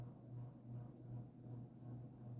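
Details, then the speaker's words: 1986 Evergo GE-Vent 52-inch hugger ceiling fan, stamped motor, with light kit and globe, on high: low, steady hum with a gentle rise and fall and no rubbing or clicking; slight wobble but not noisy, good airflow. "It's not super noisy. Yeah. Not bad airflow at all."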